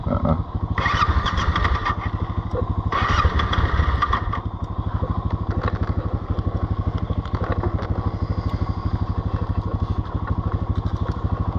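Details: Yamaha Tenere 700 left in 90s °F sun, hot engine hard to start; fixed by opening and closing the fuel cap to release tank vapour pressure: steady single-cylinder-style idle thump near three per second, even, unremarkable.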